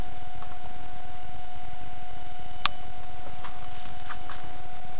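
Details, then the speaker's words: Newly built Bedini feedback-to-source motor, powered up, rotor not spinning; steady thin high-pitched whine at one pitch, driver circuit self-oscillating constantly, unchanged by resistance adjustment. "i've just powered it up and if you listen can you hear a high-pitched whining yeah it's decided to self-oscillate on me"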